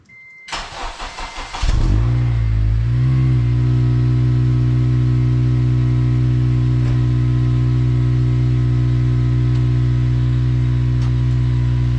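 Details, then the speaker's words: 8th-gen Honda Civic Si (FG2), cold start to check exhaust volume and leaks: brief cranking, then it catches cleanly and settles into a steady, even idle with no puffing or ticking. Sounds like the stock exhaust with no obvious leaks. "yeah sounds like stock which is good no obvious leaks"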